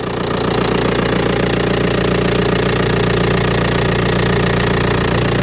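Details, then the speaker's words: Old Audi A4 diesel idling after aux belt and tensioner replacement with Gates parts; steady even clatter at roughly two and a half beats a second; judged a normal dirty diesel; normal healthy idle. "What's that noise though? Huh? What's that noise? Oh, I know, it's a bit cold. Yeah, possibly, yeah. Sounds like a normal dirty diesel."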